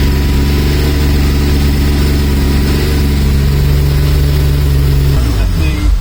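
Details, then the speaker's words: Mazda MX5 with Rocketeer V6 swap kit after first start: smooth, steady V6 idle for about five seconds, then shuts down; running in wasted-spark mode rather than fully sequential. "It's probably a good thing, because it's nice sound from the engine."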